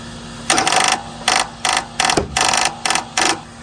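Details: Toro TimeCutter riding mower stranded with only one wheel driving, owner suspects a hydrostatic transmission issue; with the key on and the levers moved, an electric park brake actuator makes short sub-second buzzing motor whirs, starting and stopping repeatedly as it keeps trying to cycle.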